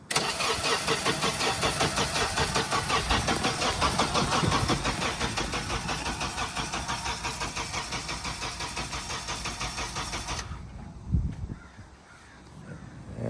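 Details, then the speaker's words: Lot 67, a 2003 Honda CR-V at a police towing auction, cranks steadily for about ten seconds with even compression pulses but never catches. Popping heard, suggesting a poor connection; may not be getting gas. Cause unconfirmed: cranks but won't start. "Hear it popping. So, not getting a good connection."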